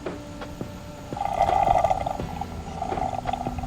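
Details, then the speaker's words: Irregular bubbly gurgles in quick bursts as water is poured by bottle and funnel through a Water Bandit into a Travato 59KL freshwater tank without a gravity fill port; normal tank fill gurgling. "you can hear it gurgling as the water goes in"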